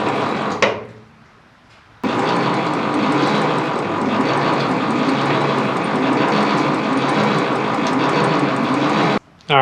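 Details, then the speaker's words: 1930s Ford Model A that sat over 20 years, cranked with no spark plugs in: slow, labored, uneven starter churning far below normal cranking speed; owner suspects the battery cables and plans new, longer ones. "we got this thing to turn over a little bit uh it's been a pretty slow so i think i'm gonna go get some uh new battery cables here"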